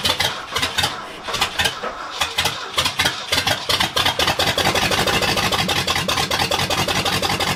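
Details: 1979 Ford F-250, brand-new 351M V8 first start on open exhaust manifolds: cranks with uneven catches, then runs loud and rough with unsteady beat; owner suspects ignition timing off and carb gummed from storage, not confirmed.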